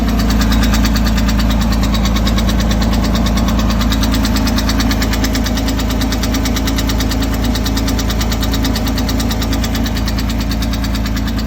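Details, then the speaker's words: 2006 Porsche 987 Boxster base, 65,000 miles, full oil level, knock started suddenly two days after an oil change: steady idle with regular ticking knock about three a second; dealer found a stuck lifter that damaged the intake camshaft. "Just had an oil change at the dealer and have a knocking sound. Need some help here. Is it lifter or something more catastrophic?"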